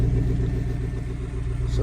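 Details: 1999 Chevrolet Silverado 4.8 after replacing the faulty fuel pump, about −2 °C outside: starts and settles into a steady, even low idle rumble without misses, knocks or ticks; crank-no-start fixed.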